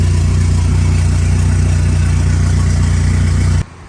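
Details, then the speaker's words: Freshly built engine on an ACR project car, first start after motor and transmission install, running on 2-month-old E85. Strong steady low rumble, no misses or knocks, then a clean cut-off; normal running with no leaks underneath. "Well, she started, don't see any leaks underneath."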